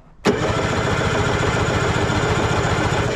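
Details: 1970s Wetco Wetbike that sat about 25 years: about three seconds of steady, even cranking with no firing at all. Crank-no-start from no spark; the ignition wiring was fine and the ignition coil was bad.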